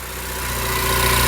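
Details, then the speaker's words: EcoBoost-swapped DeLorean after a remote ECU retune from the UK: steady idle about 900 rpm, smooth even hum with light hiss, no hunting; lambda on target, coolant cool, good oil and fuel pressure; normal idle. "She's happy. Lambda's right where it needs to be. We're idling about 900."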